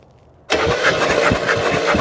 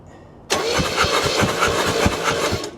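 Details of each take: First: 1968 Oldsmobile Delmont 88, about 62,000 miles, parked 36 years. After the ignition points were sanded and spark was confirmed at the coil, the starter bites straight in with quick, even turning and the engine starts catching. It cranks healthily. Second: 1968 Oldsmobile Delmont 88 with 62,000 original miles, parked 36 years, after a new negative ground strap: starter cranks steadily and the engine never catches. No spark because the points are out of adjustment.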